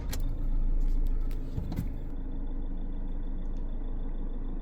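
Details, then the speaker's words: Vehicle with Trackmanager tracker after unlocking the immobiliser remotely via phone app command: brief crank, engine catches and settles into steady even low idle; normal start. "If we now remove the command, so we want to unlock the immobiliser. Now it starts."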